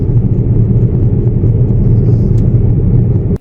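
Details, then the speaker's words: Jeep on test drive with very bad rear tires: constant low hum under road rumble that got louder with speed; owner suspects one or both rear wheel bearings are worn, though the tires could be the cause. "I drove faster, the noise seemed to get louder and louder. It seemed to me like one or both of the rear wheel bearings were all worn out."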